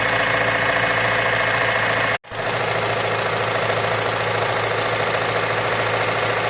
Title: Стук в двигателе форд Мондео 4 2.3